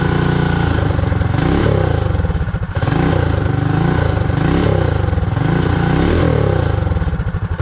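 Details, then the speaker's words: Predator 224 Max Performance single-cylinder minibike revs in bursts and won't idle, with fuel leaking from the carburetor and out its top. A stuck float or needle flooding the engine is suspected. "oh man well looks like I got a problem I've got a fuel problem with that Navy carburetor it's got fuel coming out here and it's got fuel coming out the top so uh I gotta figure that out"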